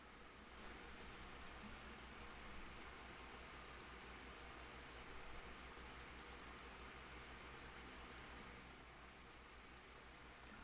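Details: First-time serviced mechanical clock, fully wound: steady, even ticking around three beats a second with a faint hum; normal ticking.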